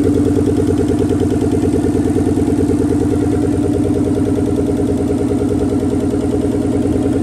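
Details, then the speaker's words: Nissan 300ZX Z32 twin turbo, first start in a long time, no exhaust, no coolant: a loud, lumpy open-pipe idle that stumbles now and then. Intermittent misfire, cause unconfirmed; the plugs are old except one. "It would like idle normal and then a little miss and then idle normal again, a little miss."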